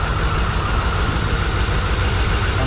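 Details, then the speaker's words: Low-mileage 1993 Corvette 40th Anniversary six-speed, abandoned, restarted after fixing badly leaking fuel injectors: uneven, lumpy idle with an irregular low thump and stumbling. Bad fuel smell, no exhaust smoke, no check-engine light. Rough idle. "we got no smoke coming out of the exhaust but he's definitely not running that good actually I can smell the bad fuel"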